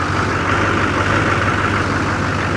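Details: Diesel jump-started from an Autogen 4500 A portable jump box, with the fuel pump primed. Steady, even diesel clatter at idle with a deep, constant rumble and no misses or knocks; normal idle.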